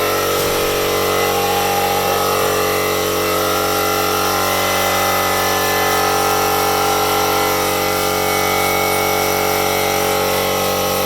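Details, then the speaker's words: Compressed-air rig from a compressor via a Nitto connector and 1/4 inch fitting to a ball lock on the gas fitting of a FermZilla vessel under pressure test: a continuous hiss of air rushing in with a faint extra tone, a small leak at the fitting. "Okay, what you can hear there is the gas going into the container, and I'm just getting a little bit of a leak."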